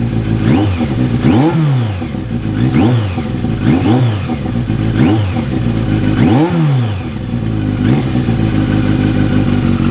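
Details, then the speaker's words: 1983 Yamaha XJ650 Turbo after reassembly and repairs, started very easily on a cold, wet day: steady even idle with clean, smooth throttle blips and no misses or rattles; vapour is condensation, not smoke. Runs maybe best ever, normal idle and revving. "Well, guys, it seems like it's running really good, actually. Maybe the best it's ever ran. I don't know. It's idling super good. It's revving up good."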